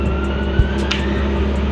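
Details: RB25DET Neo idling after LS1 alternator swap (CWC kit) replacing squeaky unit, charging 14.3 V at battery: smooth even idle, steady hum, no belt squeak or chirp; healthy.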